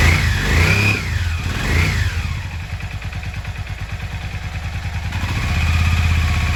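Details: Yamaha XV 535 Virago barn find, first start after about 10 years laid up (since October 2013), 12 V fed directly to the starter: the starter whines and cranks in quick pulses, then the twin catches and settles into a steady, slightly lumpy run. Normal start.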